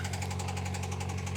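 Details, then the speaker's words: 2000 Honda Civic coupe with 233,350 miles that sat about two years: sharp, regular knocking about nine times a second over a steady idle. A bottom-end knock; it needs a new bottom end. "That sounds terrible. That's how we got it for so cheap. Needs a new bottom end."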